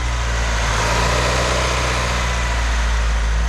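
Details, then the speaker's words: 1998 Acura Integra engine idling smoothly with steady low hum after loosening an overtightened timing belt tensioner; timing-belt-area whine gone. "quindi ' ci farò un giro e spero che sia bello seguirlo oh molto meglio non sentirlo nemmeno più"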